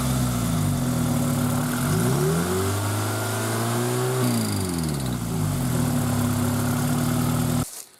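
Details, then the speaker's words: Toyota MR2 Spyder 2ZZ engine, noise present since purchase, worse cold and fading after a minute or two of driving: idle then revs with a light busy clatter following rpm; owner suspects valve clearance; valve train noise. "so the engine's been making that noise uh pretty much since I bought it and um what I noticed was that it would do that in when it's cold and then after I drove it for a little while really only maybe a minute or two it would smooth out and go away"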